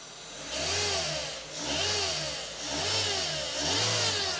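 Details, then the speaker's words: Maruti Zen MPFI petrol, engine revved, checked with a stethoscope after ruling out accessory belt bearings: bright whirring hiss rising with revs from the timing belt tensioner bearing. "അതെ ഇതിന്റെ ടെൻസറിന്റെ ഭാഗത്തുനിന്നാണ് ഇതിന് ശബ്ദം [സംഗീതം] വരുന്നത്"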